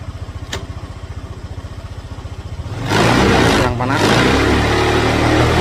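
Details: Honda Vario 150/125 scooter, new battery fitted after idle stop failed from a weak battery: steady even idle thump about four beats a second, then a louder stretch with background noise; engine healthy, settled.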